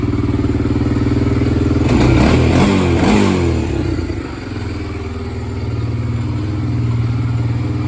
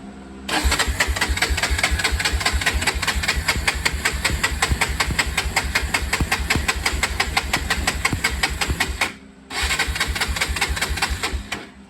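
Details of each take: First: 1993 Honda 300EX ATV single cylinder, running after revival work: it thumps along, blips sharply twice to a higher pitch, then settles back to a steady idle; normal running and revving. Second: 1993 Honda 300EX ATV, choke on, fuel from tank: fast, even cranking about eight seconds, pause, more cranking, never fires; later ran without the tank on fuel in the bowl, so owner suspects the dirty tank.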